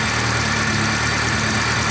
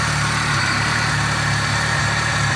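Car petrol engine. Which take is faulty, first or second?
first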